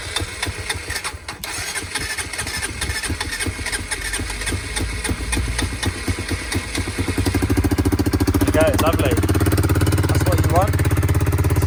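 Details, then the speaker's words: Honda CBR125 single at 13,273 miles, not run for a long time, after a wiring fix and priming the fuel pump. Several seconds of rhythmic starter cranking, then it fires and settles into a quick, steady idle. "sounds good it's gonna go that sounds pretty good so i'm gonna prime the um the fuel pump a few times and that'll just force some petrol into the um into the engine"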